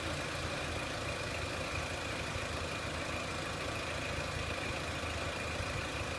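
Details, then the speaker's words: 2003 Renault Clio 1.6 petrol, intermittent stalling traced to loose crank sensor connector (sensor good), crank sensor being scope-tested; steady even idle, smooth consistent note, no misses, stumbles or hunting; normal idle. "And what we're going to do is start the vehicle up. You can see the stepper motor kicked in and back to normal. And it's idling quite nicely now, but what we're also going to show you is how to look at this crank sensor a bit better."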